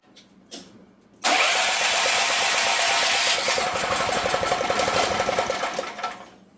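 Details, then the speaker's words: Previously seized auction generator, restart test after running at 1500 W load: one pull, it fires at once and runs with a quick, even beat for about five seconds. Normal, easy start. "Yeah. Not too hard."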